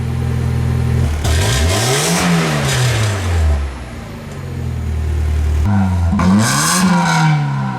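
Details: 1990 Mazda Miata four-cylinder after replacing the catalytic converter and fitting a cheap replacement exhaust to cure a rattle after the cat: starts and revs twice with a loud raspy drone, no rattle left, just a loud system.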